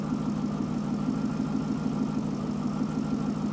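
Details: Chevrolet Corvette with a P0300 random misfire; an in-cylinder test showed the injectors firing at the wrong time. Warm idle with an uneven, stumbling beat and occasional dropped pulses while the crank sensor ground (0.05 V), crank signal and cam signal are scoped. The cause is suspected, not confirmed.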